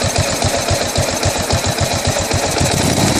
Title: 2008 buell blast rough idle